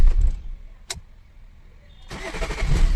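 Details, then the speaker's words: Swift Dzire with earlier no-start (no response, no rpm) from wiring/ECM fault; after ECM repair, switched off and restarted: brief crank, pause, then catches and settles into steady low idle, starting cleanly. "చూడండి, start చేస్తా. Start అయిపోయింది vehicle."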